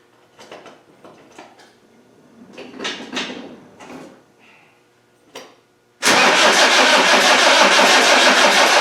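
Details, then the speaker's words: Land Rover 300Tdi diesel after head replacement, cranked with the solenoid wire disconnected and fuel pump off to prime the fuel system and circulate oil; starter spins engine at a steady, even three beats per second, never catches. "the idea is I'm going to crank it over without the fuel pump on and that will help to prime the fuel system"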